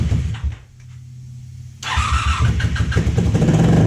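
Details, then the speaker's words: 1987 Honda Super Magna V4, sat about 10 years in a field, fuel sprayed in, choke broken: cranking, pause, then it catches and runs raggedly, not firing on all cylinders, struggling to keep going. "Oh, it's trying. It's trying. It's definitely not hitting on all cylinders, but uh let's see. Probably help if we had a choke, but the choke is busted."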